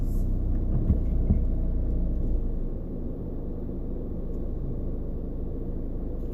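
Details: Volkswagen slowing down in neutral and coasting to a stop: deep, uneven rattling rumble about three pulses a second from the center console, like a transmission bearing; dealer denies fault.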